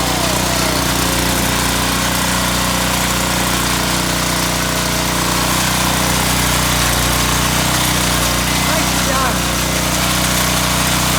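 Steady, even engine drone with a constant beat and no stumbling; the generator has caught and is running normally.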